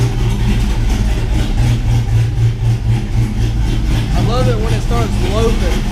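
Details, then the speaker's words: Chevy 6.0 V8 swapped truck with BTR Truck Norris cam, after replacing a faulty lifter (not valvetrain noise; 7425 pushrods didn't help): deep, slightly lumpy cammed idle, even, no lifter tick; healthy. "my problem was not valve train noise it was actually a lifter so we got that all fixed and the truck's doing great now"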